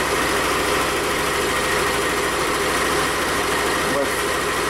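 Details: 2021 Yamaha XMax 125 (Blue Core) with its engine rebuilt after a failure at 11,000 km, left idling to warm with the casing to be replaced for a coolant leak: a steady, smooth idle with no ticking, knocking or hunting, healthy.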